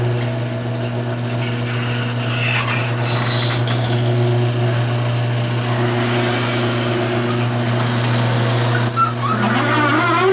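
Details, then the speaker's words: Garage door opener before lubricating the rollers and joints: steady motor hum under a rough ratcheting rattle about four per second as the door travels; likely dry, unlubricated rollers and hinges, much quieter after spraying Royal Purple MaxFilm. "That's uh And that's just that's just me spinning it with no load. Um that uh that's why uh um that's why it's so dang loud going up."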